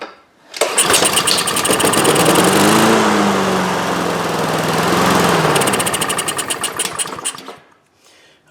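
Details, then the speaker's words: Husqvarna HU800AWD AWD lawnmower, Honda GCV190 engine, cold, on starting fluid: catches, runs rough and uneven for seconds, sags and dies, then choke plate closes again; wrong fuel flow, owner suspects dirty carburetor, possibly sediment in bowl. "so I think yes I need to dig into that carburetor we're just not getting the right fuel flow"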